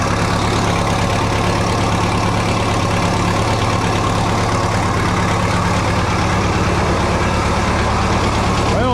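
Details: 1967 Minneapolis Moline U302 diesel tractor just after thermostat replacement and coolant refill, started in neutral with different battery for warm-up: even, low diesel idle with steady firing and constant hum, no misses or knocks; running normally.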